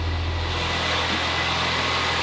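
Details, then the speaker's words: Supercharged Mini Cooper S idling after a broken-alternator replacement and exhaust welding, following three years off the road: a smooth, steady, even hum with no stumbles or ticking, and WD40 burning off; the engine is healthy. "The engine is sounding very healthy. That will just be WD40. The engine is sounding pretty good. I'm pretty happy with how that's sounding."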